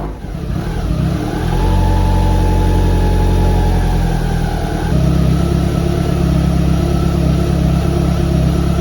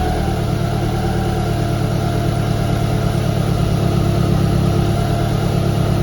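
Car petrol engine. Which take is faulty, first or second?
first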